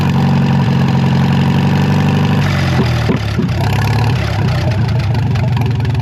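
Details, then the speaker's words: Narrow-front Farmall M tractor four-cylinder, previously stuck, running for the first time in many years after head work: deep, steady low idle thrum, even firing with no misses or knocks, some nearby clatter, warming the oil; healthy, carb could use tuning. "I'm going to let the engine run for a little. Warm up the oil, man. It runs good. could still use some tuning on the carb"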